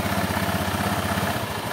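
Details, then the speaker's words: Honda Beat injection scooter after repairing a worn shaft hole in the drive: steady, even low putter at idle and on throttle, mic held close, with the earlier knocking gone; drive sounds healthy. "Oke sudah putaran lemah sudah tidak ada lagi suara kokokok ya kita akan coba gas dulu ya kita akan dekatkan mic ya tidak ada suara otok-otok kita akan coba gas lagi ya aman suara odok-odok hilang"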